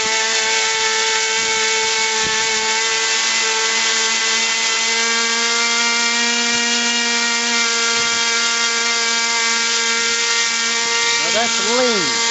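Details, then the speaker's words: RC airplane glow engine at wide-open throttle: a high, steady, screaming single tone with no double pitch (a high whine plus a low rumble means rich), so the high-speed needle is correctly tuned. "you hear that double pitch a high and a low it'll get higher even right there I have a double"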